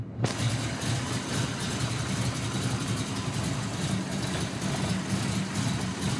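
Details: 1992 Ford Mustang GT V8, high compression, camshaft over ?/inch lift: steady lopey big-cam idle with even chop, no misses or knocks; idles really well, stays under 180° in traffic with air on.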